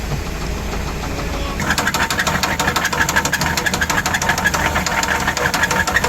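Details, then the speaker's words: Motorhome engine still running poorly after three sensors were replaced: a sharp, fairly steady tick at roughly three per second over the running engine; owner suspects a knock in the motor, cause unclear. "it almost sounds like it might be a knock in the motor so uh we might be done for good I don't know"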